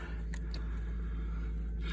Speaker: Um, motors running as sweet as a nut. I think it was purely filth and dirt and crap that was in there.